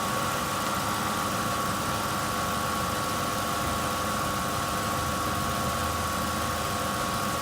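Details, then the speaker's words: 2005 Ford F-150 V8 (4.6 L per description, 5.4 L Triton per owner) after alternator replacement: steady, even idle with constant electrical whine on top, A/C on high and lights on, no knocks or misses; charging about 14.19 V, everything tested working. "right so as you can see everything's tested it's all good it's all run it's all working"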